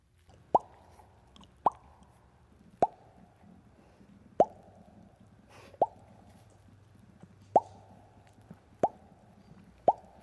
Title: Diesel bubble popping sounds